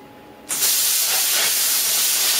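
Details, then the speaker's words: Plasma cutter cutting 1 mm sheet on a small air compressor at 50 psi: sudden steady rushing hiss, weaker than the usual air blast; low air flow at the torch, though it still cuts cleanly. "you can even hear on it that it hasn't got so much air going through it guys normally on my case you can hear the air blasting through it but this is cutting no problem at all"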